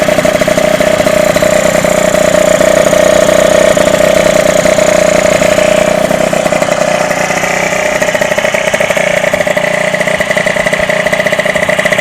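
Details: Derbi DRD 03 two-stroke, bought in a lamentable state, first start after complete engine restoration: steady, even buzz with clear mid-pitched drone, no knocks or misses; normal idle.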